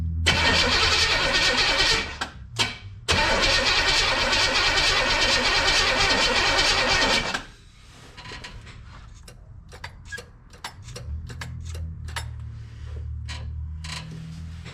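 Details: 1962 Impala old 350 V8, fuel just hooked up: starter cranks steadily about three turns a second for roughly seven seconds without catching; cranks no start.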